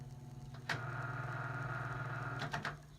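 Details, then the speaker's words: GE 5-wing box fan motor after service and new switch, blades off, running in reverse: steady low even hum with faint ticking from washers, spinning free; normal running. "So we appear to be running. You can hear the washers in there a little bit. But I think that's smooth, so I like that."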